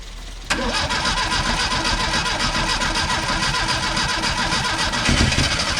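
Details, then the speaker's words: 1974 SEAT 127 three-door, first start in over two decades, fuel fed from a bottle directly into the carburetor: brief crank catches cleanly into a busy, slightly uneven idle that keeps running. "Bon maintenant je vais y mettre une bouteille pleine pour voir si on peut garder le ralenti stable pendant un petit moment."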